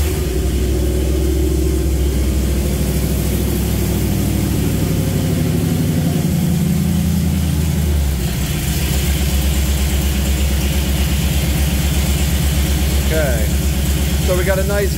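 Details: Jeep CJ5 freshly built engine with EFI, first start and break-in: catches easily and settles into a strong, even idle with light throttle blips, no knocking or ticking; oil pressure on temporary mechanical gauge a healthy 55–60.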